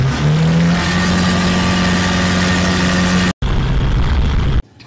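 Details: Isuzu Panther 2500cc diesel after timing gear refit and resetting, coolant refilled: picks up cleanly, steady rising drone under throttle, no knocks or misses, drops back smoothly; runs healthy.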